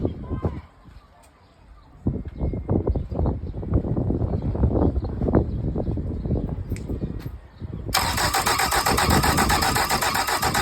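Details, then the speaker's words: Mercury 75hp four-stroke outboard after reassembly: several seconds of even, rhythmic starter cranking with no firing before it stops; turns over but won't start. "Let's see if she fires. That'll be a no then. I wonder why."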